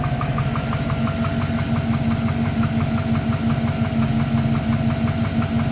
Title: Piston slap and only 15000 kms on new engine.